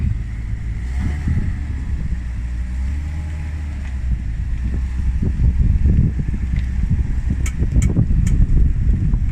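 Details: 2003 Ford F-250 engine ticking: a faint, irregular light tick about three per second over the steady low rumble at idle; source of the tick unclear.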